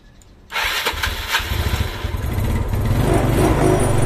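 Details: Old Yamaha Mio scooter, hard to start when cold, after valve clearance set slightly loose at top dead centre: quiet, then the engine catches at once and settles into a fast, slightly uneven putter that steadies; carburettor still to be tuned.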